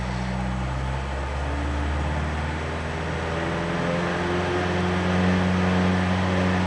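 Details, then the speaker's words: Ford Pinto revving to just under 3,000 rpm: deep droning, throbbing resonant vibration, heavy from about 2,600 rpm and getting worse; likely not carb or timing; fixed by sorting a loose alternator bracket. "she goes about just under 3 000 revs you're getting that droning throbbing resonant vibration it's been getting worse"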